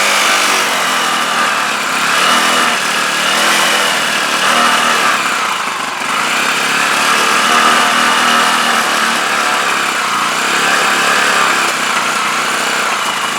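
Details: CPI SUV125 scooter just after carb clean and rebuild, choke held up; raspy single revving unevenly, surging and sagging every second or two; still runs rough, cause not found.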